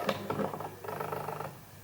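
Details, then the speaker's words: Sigma 50mm f/1.4 ART on MC-11 adapter and Sony A7R II, AF-S at small aperture (f/8–f/16): quick light clicking buzz about 1.5 seconds while focusing; normal aperture stepping, confirmed by Sigma. "hear that little clicking buz and W watch that's how long the process takes when you're working at f8"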